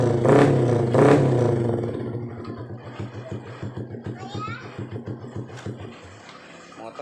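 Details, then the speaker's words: Honda Blade motorcycle after rewiring a total electrical failure caused by a burnt, smoking short circuit; starts and settles into an even, steady idle with regular firing pulses, running normally. "Oke motor langsung normal"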